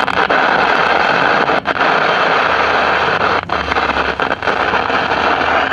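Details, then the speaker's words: 1956 CBS 5-tube AM clock radio, volume wide open, no station: constant loud hiss with crackles and brief dropouts; volume control reduces it so not the audio output stage; suspected silver mica disease in the IF cans. "okay so the volume control regulates the static we can turn the static down so we know it's not in the uh audio output stage"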